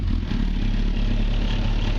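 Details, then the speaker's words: 1994 Honda Fireblade streetfighter project, just completed and road-legal, started while a bit cold: strong, even engine note with a steady low rumble and no knocks or rattles; the engine sounds clean and healthy. "like it sounds good engine sounds sweet doesn't have any RS pretty"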